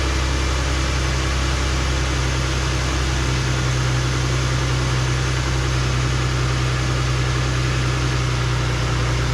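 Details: 2007 Jeep Grand Cherokee 3.7L after replacing a bad injector (P0202 misfire code) and clearing codes: steady, even idle with a smooth low hum, no stumble or miss.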